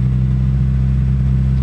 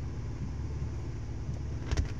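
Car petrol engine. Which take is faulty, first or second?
first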